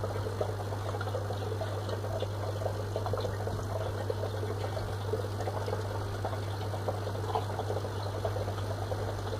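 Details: Fluval FX6 aquarium canister filter, working perfectly: steady low electrical motor buzz under trickling water, constant with no change.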